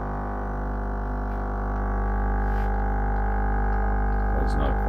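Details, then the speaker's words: Brand-new Lavazza Tiny espresso machine makes a constant deep, loud buzzing pump drone while brewing; the owner suspects this unit is faulty, and setting it on cork barely helped. "That is just horrendous. That noise. I don't know if it's broken or what's going on, but that is too noisy."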